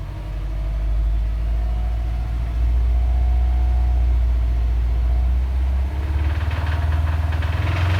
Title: Subaru Wrx Bad engine noise, Rod knock? Piston Slap?